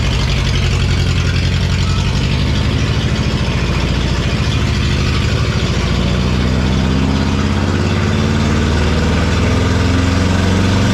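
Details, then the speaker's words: Neglected forklift started after sitting, hydraulic oil just topped up. The engine runs rough and low, then revs climb steadily on their own. Surging idle; owner says the throttle needs a return spring and fixes it by tightening a spring. "okay so I've got a problem with the throttle it seems to be accelerating so I need a throttle return of some sort"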